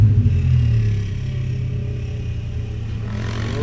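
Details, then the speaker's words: Honda Civic VTi, engine being warmed up before idle setting: engine note sags when throttle released, nearly dying, then slowly climbs back; idle drops after revving. "Yun, bumabagsak. Pinitawan mo. Ayun, bumabagsak nga siya. Nabagsak, yan o. Ayun. Isa pa. Yun. Parang mamamatay. Tapos dahan-dahan siyang bumabalik."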